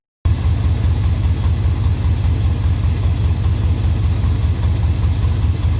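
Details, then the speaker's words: Suburban with OBS swap: steady, even low rumble at idle with no knocks or misses; engine idles smoothly, extra noise is just a poor exhaust. "because y'all can see it runs good. She sounds good. She sounds decent. Now I do sound like I got something that's hidden, but the reality is with it, y'all, it's just a shitty exhaust."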